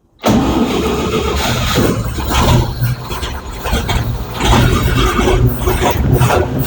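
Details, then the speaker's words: 1962 Chevy C20 gasoline engine after new fuel pump and filter, with rebuilt carburetor, set points, plug gap and timing: catches almost at once, smoking, into a steady slightly lumpy idle with deep even exhaust; starts and runs fine. "there he goes smoking and a blowing my crazy"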